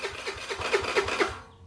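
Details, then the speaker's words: Chinese 50cc Geely scooter starter circuit: cranking works when the starter relay is bypassed with a jumper wire but not through the relay button; short quiet burst of even cranking pulses, about four a second; relay suspected bad. "working that leads me to suspect that our relay is bad"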